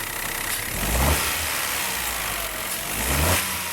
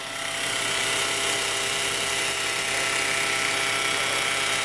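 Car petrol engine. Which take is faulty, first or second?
second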